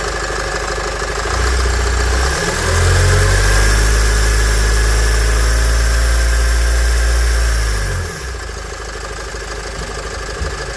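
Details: Nissan X-Trail 2.0 dCi diesel after replacing the accessory belt, tensioner and idler pulley: cranks, catches and settles to a smooth idle. The previous squeal at start-up is gone, and the belt drive sounds healthy.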